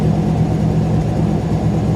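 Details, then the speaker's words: Warm engine after driving around the block: steady, even idle humming quicker than normal, no misses or knocks; owner guesses about 1123 rpm; alternator belt slightly loose, squeal gone once warm; runs nicely but idle speed too high. "I think it'll just run at about 11 23 RPM that's just a guess but it is running nice"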